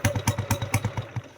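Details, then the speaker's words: Honda Wave 100 motorcycle, original unrepaired engine, parked about a year: starts on the first try and idles with an even steady putt about nine beats a second, no slipping, whining or smoke; healthy. "เครื่องมันงามนะครับเครื่องเดิมกองเดิม"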